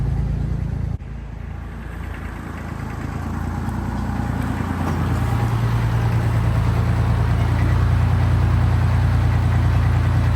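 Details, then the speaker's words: Tractor diesel warmed to normal operating temperature following maintenance: steady, even idle with a regular low beat and no knocks or misses; running fine. "So that got her up to a normal operating temperature. Seems to be running just fine."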